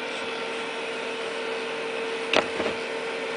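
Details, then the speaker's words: Compumotor C stepper motor just switched on for bench test, 24 V drive and 9 V 500 mA logic supply: steady mid-pitched hum with hissy top and a couple of handling clicks, turning smoothly; normal running. "let me turn it on uh the way I have it set it is just to test it and see it's starting started turning"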